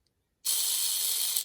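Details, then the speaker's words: MA-030 Evo RC car with a brand-new front one-way differential spun by hand: a harsh, high-pitched screech of about one second. The screws rub the diff housing and need sanding; it later broke in and went quiet. "hopefully everything will be nice and smooth and we won't hear that terrible screeching noise let's pick that up one more time"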